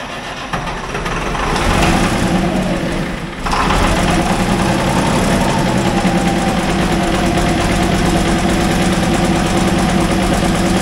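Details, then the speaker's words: International wheel loader diesel, sat 8 years, cold start next day with booster: steady but uneven idle with a loose, irregular knock; owner suspects poorly running injectors plus injection timing off. "man how's that for a cold start huh I think we got some injectors that probably aren't running the best as well as the timing being off"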